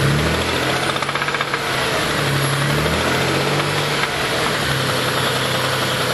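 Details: Mitsubishi 3000GT/Stealth twin turbo V6 at idle, the day after spinning the #4 rod bearing, last start before teardown and full rebuild: a dull, mild knock riding the engine beat that sharpens on throttle blips; rod knock.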